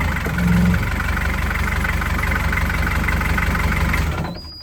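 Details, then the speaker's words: Narrowboat diesel first run after in-situ repair, dead about two months: steady even idle, smooth low thump, no knocks or misses, then shuts down; healthy. "This is the first time we've heard the engine."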